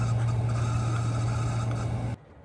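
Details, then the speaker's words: Chinese diesel heater, about 2,100 hours, with new motor bearings and exhaust silencer, running on low: a low, steady, smooth drone with no rattle or scrape, then it cuts out cleanly; quiet, normal running. "Well, it's just dropped down to almost low, and it's extremely quiet again, which is good."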